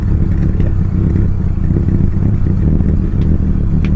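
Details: Mitsubishi Lancer CK4 running with a deliberately damaged airflow sensor, warm, no throttle: rough lumpy idle with heavy low rumble, rpm swinging then low around 600, engine shaking, black exhaust smoke, stalled at start.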